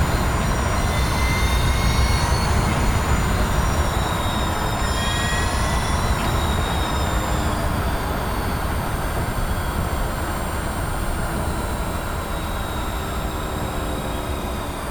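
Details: Mazda MX-30 driving, heard inside the cabin: heavy low rumble and vibration with a faint rough rattle, light high whine and ticking that varies in strength; driveline noise, cause suspected, not confirmed after two Mazda workshop visits.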